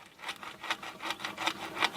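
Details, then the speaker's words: Massey Ferguson FE35 tractor with overheating, old swollen coolant hose flexed by hand: gritty, sandy rasping in uneven bursts with each flex; hose found packed full of dirt that would block the radiator, to be replaced. "Okay, this tells me that there's dirt inside."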